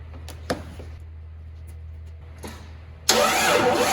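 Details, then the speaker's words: 1994 Jeep YJ after a fuel pump replacement: fuel pressure is now present, but the starter cranks hard and it never catches; no spark is found afterwards, so the pump was not the only problem. "i'm gonna jump it and try to start it with jump nope okay so it looks like this is not the only problem but definitely that was a problem right"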